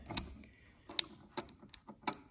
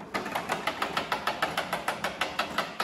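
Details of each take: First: Honda HRX217 self-propelled rear-wheel-drive lawn mower after greasing the rear drive key, ratchet and spring: soft, sparse, uneven clicks as the wheel turns, much quieter than before; normal ratchet clicking. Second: Honda HRX217 self-propelled rear-wheel-drive lawn mower that will not self-propel, engine off: sharp dry clicks about three per second from the rear drive ratchet, key and spring, which are dry and need grease.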